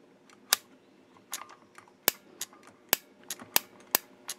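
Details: Breville Barista Express solenoid block tested on bench at 120 V, about 110 mA and 8.5 W: sharp crisp firm clicks each time energised, about eight in four seconds; healthy solenoid valve.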